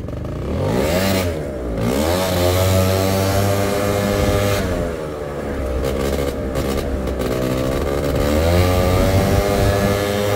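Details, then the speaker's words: Scooter with auto-choke, engine warm, choke deliberately put back on: revs rise and fall sluggishly with a muffled, doughy note that bogs at low throttle and barely takes off; rich running from the choke stuck on. "so now the chok's in the open position all right oh already pretty boggy really doughy and slow"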